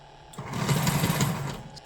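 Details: Lionel 6-38024 TMCC PRR S1 duplex, shell off, Odyssey speed control on: small motor whirs up in a brief uneven surge and falls away within a second; erratic running from a speed sensor fault, running fine once Odyssey is turned off.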